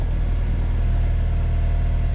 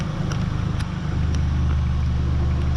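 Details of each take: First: 1994 Honda Accord, 256,000 miles, after throttle body cleaning and idle screw turned fully in: steady, even warm idle without surging, right over 1,000 rpm. Idling too high; cause still unconfirmed, smoke test for vacuum leak planned. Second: 1994 Honda Accord, 256,000 miles, restarted after reassembly following surging high idle repair: steady, even low idle with no hunting or surging, nothing knocking. Normal healthy idle.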